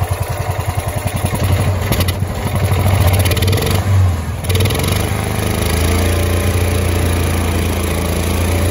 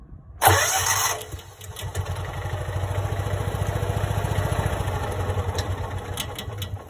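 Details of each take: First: Kawasaki FE290D single in a John Deere Gator that ran and died, bucking and backfiring through intake and exhaust. After a new ignition coil it starts, settles into a steady even thump and picks up cleanly on the throttle; normal running. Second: Kawasaki FE290D engine in John Deere Gator with failing ignition coil, losing spark at high throttle, fuel ruled out: single catches with loud burst, then rough uneven running with wavering low thump; runs and dies, backfires.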